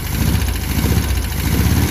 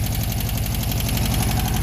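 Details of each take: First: VW Beetle air-cooled flat-four at idle on old bad gas: a low, smooth burble that swells then settles, all four cylinders firing, no smoke or backfiring; owner suspects a rebuilt engine. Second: VW Beetle air-cooled flat-four idling, owner suspects a rebuilt engine, still burning off bad gas: smooth and even on all four cylinders, with a light, quick ticking on top, mild valve clatter.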